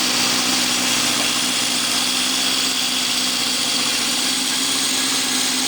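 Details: Restored 1972 Honda CB750 K2 inline four, first start after restoration with new exhausts, chain and tires, running off a temporary tank without bodywork. Bright, steady four-cylinder idle with a fast, even buzz and no misses or knocks; normal idle.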